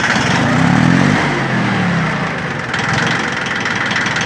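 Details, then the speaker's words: Yanmar three-cylinder diesel 4WD mini tractor (title says F13D 13 hp), 778 hours, started after a glow-plug preheat, in neutral. It settles into an even, steady idle with a regular knock and no extra noises: healthy. "сюда на нейтралочке здесь у нас все работает ровно работает отлично трактор [музыка] пожалуйста работает ровно без лишних Шумов"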